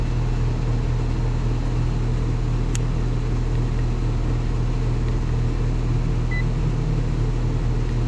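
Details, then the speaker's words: Third callback on an outdoor HVAC unit, shot in snow, after heat-strip power and a stuck contactor were fixed: loud constant low droning hum with a coarse, gritty edge and no letup; runs rough, suspected internal mechanical failure. "oh I got to say that sounds rough like like something um ain't work like there a mechanical failure or something"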